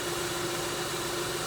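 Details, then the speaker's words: 2002 Kia Sedona after replacing the power steering pump, belt and idler pulley: smooth even idle with a faint steady hum, no ticking, knocking or belt chirp; running smooth, no leaks. "everything's looking nice and smooth i don't see any leaks other than the mess that i made taking all this stuff apart"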